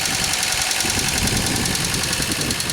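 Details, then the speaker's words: 2003 Pontiac Grand Am GT at idle, still drives and goes into gear: fast, even light ticking from the top of the engine over steady idle; owner suspects lifter noise rather than rod knock, perhaps cam and lifters needed. "that definitely sounds like upper end noise i can't get it off now oh well all right so i think that's lifter i think that's a lifter noise"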